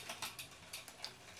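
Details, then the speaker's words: Shimano 2x12-speed Di2 road/gravel groupset with rear derailleur deliberately misadjusted for demonstration: light irregular ticking and rattling, several clicks a second, worse in some gears, as the chain rubs the next cassette cog; rear derailleur misalignment needing adjustment. ">> Very cranky noises. This is not good. Usually we'll go to the gear that's making that noise."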